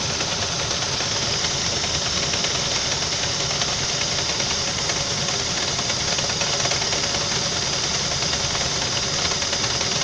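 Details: Saab 9-5 after its belt came off when driven through a puddle: rough idle with a fast, steady knock through the engine. Engine knock, cause unconfirmed.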